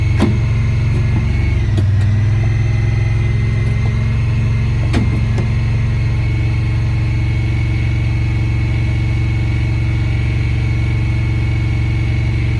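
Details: 2017 Honda Pioneer 1000-5 at 1200 miles with check engine code 9-2. Loud, fast idle with a deep drone and an uneven, hunting beat. Cause was factory over-crimped IACV plug wires broken inside the insulation; plug replaced and recrimped.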